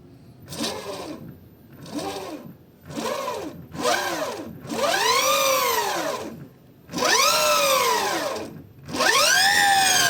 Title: suara belt mitsuboshi setelah terpasang